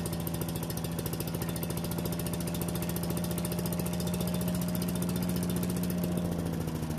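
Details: Yardman leaf vacuum/mulcher small single-cylinder engine after cleaning the carburetor and reassembling: steady fast even beat, no hunting or stalling; running properly, warming up for an oil change.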